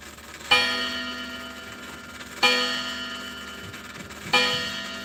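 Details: Chiming clock whose movement runs but doesn't tick and otherwise sounds like a coffee grinder: clear bell strikes about every two seconds with nothing audible between them.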